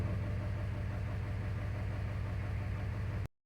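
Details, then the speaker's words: Mitsubishi Lancer 1.6 with LPG, running on petrol: lumpy, uneven idle with a low stumbling beat from a misfire that occurs only on petrol, not on gas; one injector plug is not making contact. "Słuchajcie mamy wypadanie zapłonu ale tylko na benzynie"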